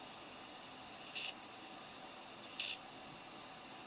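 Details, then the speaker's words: Desktop computer with a crashed, failing hard drive: two short, sharp clicks about 1.4 seconds apart over a steady fan hiss; the clicking gets louder the longer it runs. "Yep, as I expected, it is definitely a hard drive problem. You can hear it clicking away right there."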